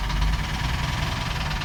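Short idle sample with a dull, uneven low knock under the engine hum; could be lifters or the bottom end, can't pin it down. Cause suspected, not confirmed.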